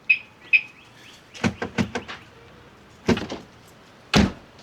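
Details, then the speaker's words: Audi after replacing the door lock actuator, key in ignition to test: two quick chirps, then crisp clunk bursts as every door locks and unlocks together; central locking works properly and the door feels solid. "Cool. So that is done. Everything feels solid on the door. I'm just happy that I can use this to lock it and unlock."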